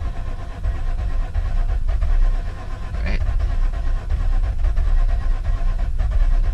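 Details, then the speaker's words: Mazda RX8 project, not started for a long time, cranking with a long steady drone and rough uneven catches that never pick up; won't start. Owner suspects spark plugs fouled and engine flooded. "they're probably fouled out from the gas at home because it was never started but this is what it sounds like [Music] you can hear trying to start"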